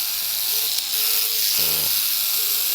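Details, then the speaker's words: Philips Series 3000 rotary electric shaver after being dropped from a drawer: harsh, hissy buzz with a rough rattle over the motor hum; likely a small dent in the head's guard grill making the blades inside hit it. "also I damaged my shaver dropped it out the drawer and it sounds like this it shouldn't sound like this but it sounds like this"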